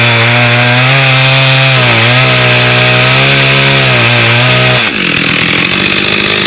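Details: Stihl 084 AV chainsaw, about 35 years old, trash find restored, slabbing Australian red gum: a steady high-pitched two-stroke scream dips slightly under load, recovers, then drops off clean; strong, healthy saw.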